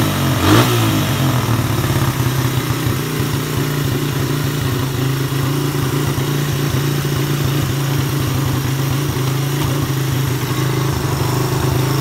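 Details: Suzuki Satria FU 150 after a ground wire was added from the black-white wire to the engine. It starts with a quick blip and holds revs strongly and evenly without stumbling. The earlier no-rev, hard-start fault was traced to a corroded or broken ground.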